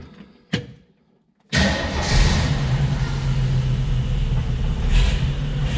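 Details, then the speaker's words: AMC 232 straight six at idle, plug wire already swapped and still skipping: uneven idle with a recurring stumble; acetylene test at number 4 smooths it, confirming a misfire from a leaking intake manifold gasket. "That's still got a skip. Well, we're gonna go old school now."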